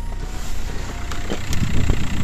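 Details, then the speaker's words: Diesel idling with a steady low rumble and no squeal as the steering wheel turns, after the worn power steering pump pulley was replaced with a larger 2.5 diesel pulley and the belt retensioned; the steering also turns lighter. "вот я его поставил все натянул думаю будет цепляться ничего не цепляется за вот короче все натянул писк пропал руль стал даже легче крутиться"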